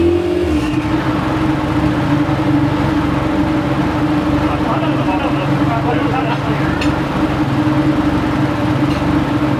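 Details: Golf Mk1 4Motion AWD turbo engine idling steadily with a faint puffing tick over the exhaust note; owner suspects an exhaust leak at the manifold-to-turbo gasket, around one of the three bolts, before re-tightening them.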